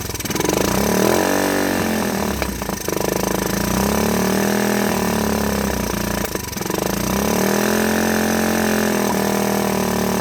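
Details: 1984 Honda ATC 125 in neutral after a carburetor swap and fuel tank flush, having likely sat a good while. The single rises and falls with throttle blips, then returns to a steady, even putt without stumbling; normal idle.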